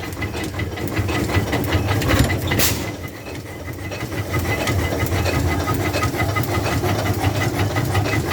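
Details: 1911 International 20hp tractor just after starting, choke off, compression on and timing advanced: slow, heavy chuffing beat near three per second with hiss over a low rumble, settling to an even normal run.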